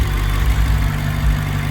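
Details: BMW 650i N63tu twin-turbo V8 (stage 2 turbos, F90 HPFP, colder plugs, E40 tune) idling after high-output ignition coils were installed; deep, steady burble with even firing, no knocks, ticks or misses, running smooth.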